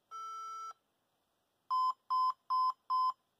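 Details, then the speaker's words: HP ProDesk 400 G3 Mini with non-T i5-6500 CPU, standard 65 W supply at power-on: beep code counted as three long, four short (heard as long beep then four short), read as wrong power supply. "okay so three long 1 2 3 4 and four short let's just verify what that is uh just a quick check and it does sound like yes it's basically saying hey you don't have the right power supply"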